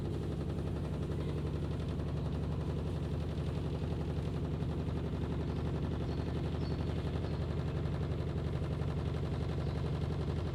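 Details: IFB top-load washing machine: rapid, fairly regular knocking about three times a second over a low drum hum; loud knocking, cause undetermined.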